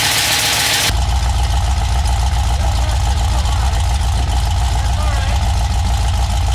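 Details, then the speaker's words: 6.0 LS V8 on a stripped 2000 Silverado harness, first start: catches into rough idle with light steady tapping each turn on the passenger bank; dipstick end caught the windage tray and was struck by the crank, fixed by straightening it. "the dipstick and the dipstick's just vibrating like mad. I pulled it out. The end of the dipstick caught the windage tray and then got sucked up underneath. So the crank was coming around and hitting the dipstick."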